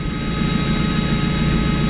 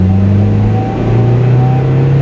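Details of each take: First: Mazda Miata four-cylinder, started before winter storage: a slightly uneven idle with a faint stumble, running a little rough. The cause is unconfirmed; the owner plans a new sensor and an OEM NGK O2 sensor to replace an aftermarket Walker unit. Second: Stock Mazda on its last drive before winter storage, running fuel stabilizer through the system: the stock exhaust gives a deep, smooth drone that swells evenly with the throttle and roars under full throttle, with no rattles.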